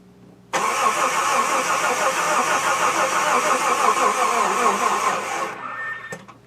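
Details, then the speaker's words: Long-parked GM W-body car with fresh-looking oil, restarted after improving the battery connection: the engine catches and runs unevenly with a lumpy, irregular beat for about five seconds, then dies. Rough running after start, cause unclear; starter also suspected. "sounds weird well I don't like this out of this"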